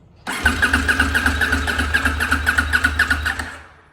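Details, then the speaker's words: New 2024 CFMOTO 800NK, first start out of the crate just after fueling: brief crank, then it catches at once into a quick, even beat with no misses. It fired on the first try. Normal engine start. "We just put fuel in it, so we expect to have to crank it a couple times. Oh, snap! That worked out good."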